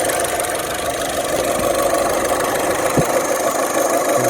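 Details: 2008 Saturn Astra, just over 114,000 miles, after running a while following throttle body replacement (it had lost power and fuel mileage and shifted oddly), no check engine light: steady, even idle, no misses, knocks or hunting; healthy, settled.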